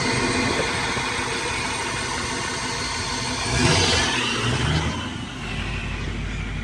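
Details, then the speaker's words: 2008 Ford F350 6.4 Power Stroke diesel, 6-speed manual, run with intake pipe off, check engine light on: rough hissy run, loud open rush, puff midway; engine blowing trapped oil out of the intake. "Check engine light came on. Well, the intake's missing, so I'd hope it comes on."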